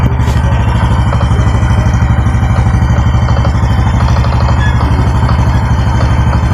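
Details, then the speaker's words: Honda Biz 125 motorcycle at steady idle: a light knock about three times a second from the clutch side plus a faint whine; owner suspects clutch basket (taça) or clutch play, clutch cover not yet removed. "Isso é uma bis 125, ela tá fazendo dois barulhinhos, ó. Uma pancadinha aqui, ó, do lado da embreagem. E tá com esse ruído aí,"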